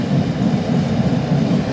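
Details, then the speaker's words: Large salamander-type diesel shop heater, sitting unused a long time and just fired up: steady low roar of fan and flame with no sputter or surging; running normally and putting out heat, though owner is unsure it burns fully clean. "Yeah, it's running. Oh yeah, it's putting out some good heat. Yeah, that's a nice little heater too."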